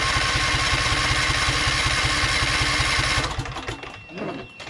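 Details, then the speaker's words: Vanguard engine: starter turns the engine evenly about four times a second for three seconds but it never fires; owner suspects fuel not yet primed, possibly water in tank. "i think we need to crank it more to allow the fuel pump to work to get the fuel in there you know it's going to crank a bit"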